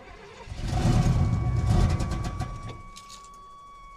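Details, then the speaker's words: 1988 GMC Sierra short bed with a carb-swapped 350 V8, headers, Rock intake and a clacky electric fuel pump just hooked up: long, rough, uneven cranking never catches, then drops off. Cranks but won't start; the owner is not confident in the truck. "I don't hear it running really I am uh honestly not real confident in this truck"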